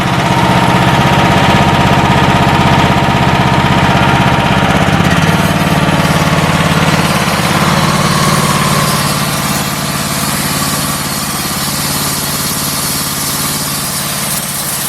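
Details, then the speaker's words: Homemade 158-inch-blade bandsaw mill engine, first ever start, run at part throttle (not wide open, parts still breaking in): steady even drone with a firm low beat, no knocks or rattles; running smoothly. "we're going to turn this thing to on we're going to go to start first time this old motor's ever been fired but got a good start"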